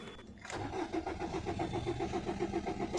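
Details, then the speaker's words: 2011 Maruti Suzuki Swift Dzire diesel, immobilizer just repaired and key light no longer blinking: starter cranks steadily at about 220 compression pulses a minute but never catches; a main relay open-circuit DTC is stored, with possible carbon on the relay contacts. "it won't start because there is one DTC of main relay open relay first fix that, there may be carbon on relay contacts"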